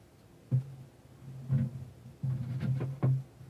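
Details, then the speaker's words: Pro-Ject Debut Carbon DC turntable with dust cover closed: low boomy hum under dull thumps at each tap, amplified and boomier as the cover vibrates into the stylus; removing the cover reduces noise. "did you hear all that noise? And when I hit this, the noise is amplified and gets boomier, and gets even worse there."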